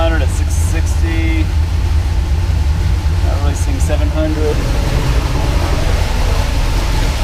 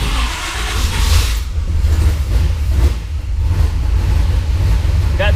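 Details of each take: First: 1976 Pontiac Trans Am twin-turbo big block with solid roller cam on Microsquirt, after fixing 2000 rpm idle: about 600 rpm, short of the desired 700; low even idle, steady throb, no stumbling or hunting; idling much better. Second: 1976 Pontiac Trans Am twin-turbo on Microsquirt, new idle air control valve fitted, stepper settings off: won't idle without about 4% throttle. Deep loud rumble with uneven low pulses; old idle air valve was not sealing, causing the previous 2000 rpm idle.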